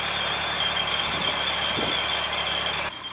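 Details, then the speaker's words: Narrowboat under way: a shrill alarm beeps steadily from the control panel over the low diesel hum while the battery warning light flashes. Cause unknown; the owners plan to turn it off and on again. "so you might hear that beeping noise that is on the control panel a battery light flashing and it's beeping"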